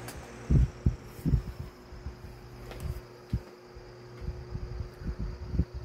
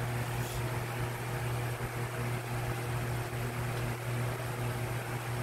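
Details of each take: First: Lasko 1820 18-inch five-blade stand fan (2006) with a 16-inch fan motor, on low speed: soft, even low hum with faint steady tone; very quiet, normal running. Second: Lasko 18" stand fan model 1820 (2006), five-blade, on high: steady rushing airflow over a low motor hum with an even swish. Owner suspects the flat-edged blade design; unconfirmed.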